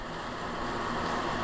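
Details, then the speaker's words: 1994 Jeep Wrangler YJ on new Yokohama Geolandar tires replacing dry-rotted 33-inch Baja Claws, new shocks: soft, even road hum with no whine or thumping while driving; normal quiet tire noise. "one piece tires installed rides very smooth very quiet"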